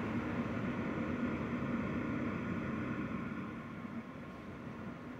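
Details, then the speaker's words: Zotac RTX 4090 graphics card fans at 60% speed under game load (72% GPU utilization), PC under desk, recorded on phone mic: steady airy whoosh with faint low hum easing near the end, starting to become audible, normal fan noise. "Now I am starting to hear something. More than before, but again, 60%."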